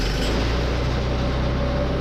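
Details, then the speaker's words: Wrecked 2021 Yamaha Vino clone scooter after removing a faulty kickstand switch: the small single-cylinder catches at once and settles into a steady, even putter with no misses, starting cleanly with the idle a little low. "Oh yeah. Fires right up."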